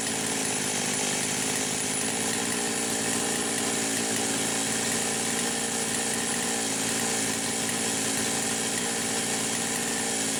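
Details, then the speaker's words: Poulan Pro 525 chainsaw (essentially Pioneer P52), carb gaskets repaired: steady screaming flat-out no-load revs hitting a limit just shy of 11,000 RPM where it cuts out; suspected electronic governor/coil rev limiter, unconfirmed. "but I can get it to just shy of 11,000 RPM, and that's where it starts cutting out. So I actually think there's an electronic governor on here, but I can't figure out why the hell she won't idle."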